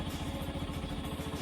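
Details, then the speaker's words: Yamaha FZ-S single-cylinder bike at about 9,955 km, idling before its due 10,000 km dealer service: ragged, slightly cracked idle instead of the proper crisp note, sounding different from before; owner says it needs checking at service, cause not found. "ইয়াত যিটো চাউণ্ডটো মানে বাইকত যিটো real যিটো sound ওলাব লাগে, সেই চাউণ্ডটো ওলোৱা নাই। মানে অলপ ফটা নিচিনা চাউণ্ডটো ওলাই আছে।"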